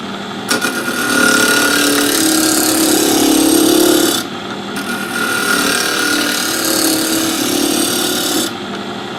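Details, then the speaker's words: Wood lathe with RPM raised after the corners were mostly knocked down, gouge roughing a top blank: steady rough cutting roar with a fast, uneven tick as corners still catch the gouge; blank not yet round. "tell that sound when we start getting round because you won't hear it ticking cause it'll be in your wood chips"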